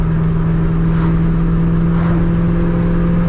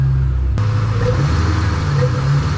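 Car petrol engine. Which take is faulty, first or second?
second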